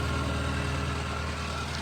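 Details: 1988 Nissan Be-1, 1.0L carbureted four-cylinder, 3-speed automatic, about 74,600 km, fresh oil change, recorded at the tailpipe: steady, even low idle with no misses, puffs or ticks; engine healthy and settled.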